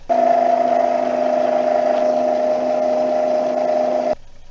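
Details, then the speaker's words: Replacement drive motor on a NordicTrack C2300 treadmill, run with the motor belt on but the tension spring not yet attached, isolated from the roller: smooth, very quiet, steady whir with no knocks or scraping. Normal motor running. "turn it on sale sounds okay there it is running definitely very quiet"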